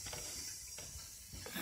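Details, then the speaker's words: Newly replaced toilet fill valve with a built-in float: a constant thin hiss of water keeps running into the tank, broken by brief clanks, because the valve is not shutting off. Suspected cause is high house water pressure. "Let me try to turn this water off. It's leaking."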